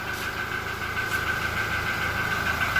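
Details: Toyota Innova Reborn during warm-up idle: a thin, high cricket-like chirp stutters on and off over the engine; not from the engine bay, traced to the exhaust, cause not yet confirmed.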